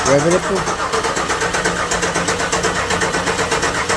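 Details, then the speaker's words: 1996 Chevrolet Impala SS, first start attempt after 10–11 years sitting, key lock bypassed, fresh gas: starter churns steadily, no firing; fuel pressure builds but no combustion, injectors not felt clicking, injectors suspected. Crank no start. "yeah guys and at this point cannot get the car to start"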